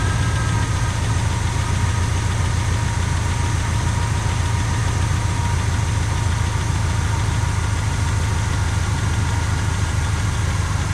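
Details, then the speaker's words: 1985 Pontiac Trans Am, 34,000 miles, parked since 1998 and started after about 28 years of storage; carburetor had been stuck and was freed with penetrant. Deep, smooth V8 burble at a steady idle with no knocks or misses; normal idle. "That is too bad. Sure sounds good though, don't it people?"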